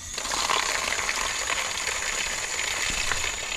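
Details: Outdoor hose tap after replacing the worn washer and greasing, previously quacking with water hammer: steady smooth hissing rush of water with no quacking or chatter.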